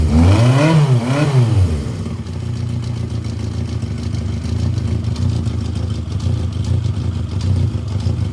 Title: Yamaha XJ750 engine knocking sound